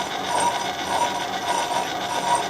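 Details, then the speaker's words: Machining a head adapter sleeve on the lathe/Bridgeport mill: a faint ringing tick about twice a second over a light metallic hiss. The tool is skipping and hitting only part of each turn, so the plan is to feed it in a thou or two. "Now what I'm hearing it skip right about there. So I'm going to take this in just a little bit, maybe a thou or two."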